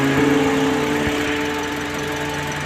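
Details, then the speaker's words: Toyota Yaris with unstable rpm and rough idle, after replacing the faulty cylinder 1 fuel injector: a steady, even petrol idle with a smooth hum. Live data shows rough idle normal on all four cylinders and no misfires. "आप देखें जो ruffling है हमारी वो बिल्कुल normal आ रही है of condition में आ रही है चार और मिस फयर भी इसका ओके आरहा"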